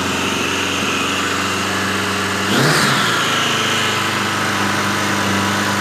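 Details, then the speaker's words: 1986 Voyager XII 1200 four-cylinder after restoration, vacuum caps fitted, near-stock jetting (110 mains, 38 slows), still seems a little rich: even idle, one crisp blip, back to smooth steady idle; normal idle. "So as you can hear, that's a hell of a lot better than it's been before."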